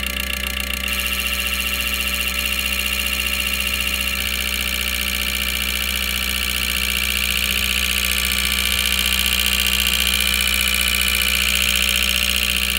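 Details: 2012 Mazda CX-5 idling with a faint uneven stumble about every quarter second and strong hiss; scan tool shows cylinder 4 misfire, lean spark plug, carbon-clogged injector 4 found after coils and carbon cleaning failed; fixed by injectors.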